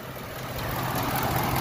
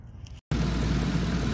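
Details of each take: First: 2010 Ford Expedition 5.4 with codes P0016 and P0346, idling, hood closed: faint uneven tapping that comes and goes over the idle; intermittent noise, timing chain area suspected. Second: 2010 Ford Expedition 5.4 V8 after a new crankshaft sensor for codes P0016/P0346: after a brief dropout it settles into a steady, even idle with a smooth low drone and no rattle or tick. Normal idle after the repair.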